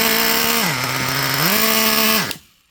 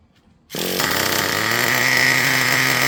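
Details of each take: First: Traxxas Revo 3.3 nitro engine before needle adjustment: buzzes high, sags low, never revs all the way up and cuts off as soon as throttle is released; mixture running too rich. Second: Traxxas Revo 3.3 nitro engine: sharp buzzing two-stroke note at lower idle rpm, quick throttle response without cutting out, holds an even pitch without stumbling; normal, well-tuned running.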